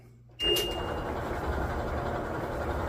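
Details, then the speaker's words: 20-year-old LG front-load dryer running after rebuild for thumping rollers and no heat: starts with a click, then a quiet, even rumble with no more thumping; drum turns smoothly. "Oh, running good. Sounds good. It's quiet, no more thumping."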